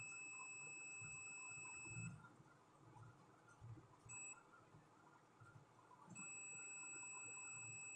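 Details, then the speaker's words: Induction cooktop IGBT 15N120ND tested with a multimeter on continuity: a solid high beep whenever the probes touch, stopping between contacts, shows a dead short; the IGBT has failed. "तो ये IGBT खराब हो चुका है। अगर सही रहता तो इसमें कुछ न कुछ मीटर में वैल्यू शो करता है, जो कि कंटिन्यूटी के साथ बीप की आवाज़ आ रही है। इसका मतलब ये शॉर्ट है।"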